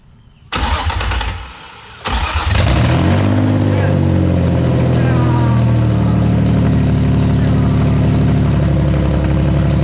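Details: Nissan VQ35DE engine in a 240SX S13, first start after rebuild with new bearings, gaskets, rings and seals: cranks, catches on the second try, flares up, then settles into a steady even idle with no knocks or ticks.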